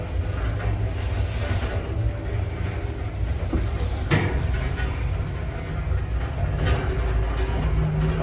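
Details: Orona 3G10 machine-roomless elevator, late 2010s/early 2020s, 630 kg, 1 m/s, 7 floors: heavy low rumble through the ride with a sharp jolt midway; starts roughly, especially going down, doors shaky.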